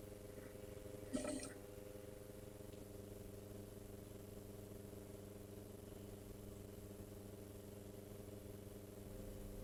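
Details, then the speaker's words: Gibson 79 RTV amplifier motor powered up on the bench, audio boosted: quiet steady hum with several fixed tones over faint hiss, unchanged throughout; motor is noisy, cause not yet determined. "Um, so it won't be this loud in real life, but it is going to be boosted so you guys at home can get a clear indication of what kind of noise this thing is making."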